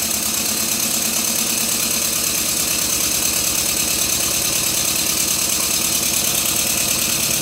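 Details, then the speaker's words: Stuart Twin Victoria model steam engine, freshly rebuilt and still stiff, run on compressed air: steady tick about two per second over air hiss; loose crosshead pin knocking each stroke, fixed with a little thread lock. "despite my efforts one of the crosshead pins is working loose again I used a small amount of thread lock on it and that fixed it"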